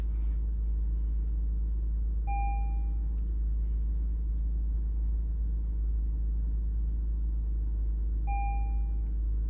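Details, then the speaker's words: Lexus RX350 (cranks-but-no-start case) after refitting the air-flow sensor box; engine started and idles steadily, even, with no misses or knocks, two short scan-tool beeps; normal idle. "गाड़ी आप देख सकते हैं स्टार्ट होते साथ ही जो है ना स्टिल अपनी जगह पे रुक गई है।"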